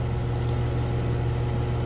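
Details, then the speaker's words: Outdoor AC condenser built June 2016, at spring startup around 65°F: a heavy, steady low hum much louder than the other unit, loud enough to force raising the voice; no cycling or knocking, cause unknown. "as you can hear this thing actually is a lot louder like I actually have to raise my voice in order to um talk over this thing meanwhile this one I barely had to raise my voice"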